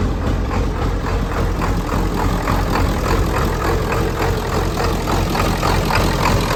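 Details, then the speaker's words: 1994.5–97 Ford 7.3 Powerstroke diesel at 62°F, first start after IPR valve replacement: a lumpy, unsteady idle with thumps about three a second while air purges from the high-pressure oil system. It then smooths out, "much better". "it might die but it's got to get the oil pressure back up there's just air in the system we'll get worked out there we go much better"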